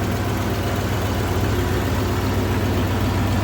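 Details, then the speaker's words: 1987 Ford F150 with the 302 V8, C6 automatic and 4x4, after the vacuum modulator was reinstalled: even, steady low rumble with no misses or shaking; V8 idling smoothly. "She is running good. Wow, listen to that. Just idle down. It's actually running really quite smooth right now. It's not shaking."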